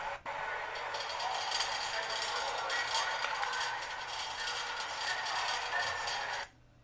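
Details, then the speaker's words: Industrial electric motor recorded near the vibration transducer on the end shield: a dense gritty rattling hiss with rapid uneven ticks. Bearings loose and rattling, though the accelerometer monitoring reported nothing wrong. "Okay, so you should have heard the bearings um, rattling around a little bit."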